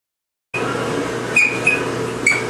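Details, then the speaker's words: GE clothes dryer just switched on: steady hum with short high squeaks as the drum turns, getting worse into screaming as it runs; worn rear drum bearing squeal, to be fixed by replacing bearing and belt. "right you guys this is the washer or I mean the dryer making this squeaking noise and it gets way worse than that I just barely turned it on as it goes on it starts screaming squeeing"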